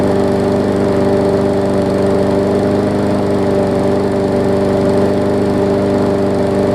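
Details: Newer Murray push mower, after stretching and cutting the governor spring: constant steady drone with no hunting or surging, engine speed now steady and definitely better.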